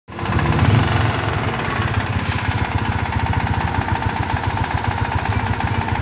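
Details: Honda Wave (Dash) small single-cylinder at idle: quick, fairly even metallic ticking about three to four per second; owner asks if connecting rod knock or another cause, not confirmed.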